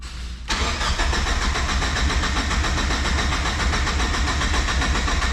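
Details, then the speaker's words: Turbocharged Miata fitted with 1000cc injectors, no base map loaded (the stock computer would not work): the starter churns in an even, rapid rhythm for several seconds but the engine never catches; cranks, no start. "it doesn't click I think it's too good to be true sadly well at least she's cranking"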